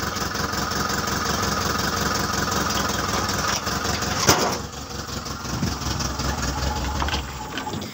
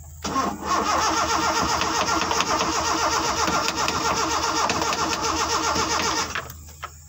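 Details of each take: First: Car engine catches and settles into a steady, even idle with no misses, knocks or rattles; sounds healthy. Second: Car engine cranked while trying to start it without the ignition key, using jumper wiring: starter churns steadily for about six seconds, never catches, then stops. Owner suspects the wrong circuit was connected.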